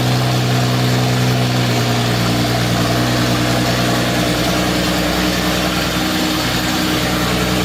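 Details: 1952 Jaguar XK120 FHC six-cylinder, first start in 40 years after Lucas C45PVS generator rebuild, starting carburetor in use, good oil pressure: deep, steady burble with even low pulse, no ticks or knocks; smooth, healthy idle.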